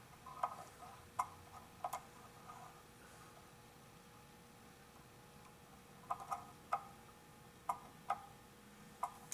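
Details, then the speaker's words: Antique pendulum clock after cleaning and oiling: sharp ticks in uneven pairs, short gap then long, about 44 a minute; out of beat after being pushed the wrong way, corrected by nudging it back. "okay what's happened is it's out of beat and i pushed it the wrong way so we're gonna give it a little push"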